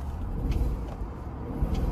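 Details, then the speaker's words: Supercharged L322 Range Rover bought cheap as-is, started with fresh gas just put in and still cycling through: deep lumpy idle with an uneven beat and occasional stumbles; still misfiring at idle. "still has still has that Miss but it's going to take a second for everything to start cycling through it"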